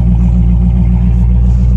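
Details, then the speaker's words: Salvage-auction V8 with good oil level, no check engine or airbag light: deep, loud, even burble at idle with steady lumpy pulse, no ticks or knocks; healthy V8 idle. "see we can start it see what it sounds like that's so cool it makes it so much cooler sweet no check engine light no airbag light sounds very healthy"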